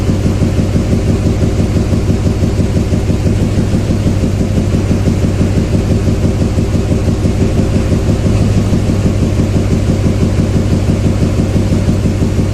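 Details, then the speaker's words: 2007 Chevy Silverado 2500HD 6.6 Duramax LMM diesel idling poorly during injector cut-out test: deep, slightly lumpy idle; killing injector 7 barely changes the sound, so cylinder 7 is weak; valve train problem suspected. "Boy, that makes little change at all. It's number 7 because the 7 hardly makes any difference."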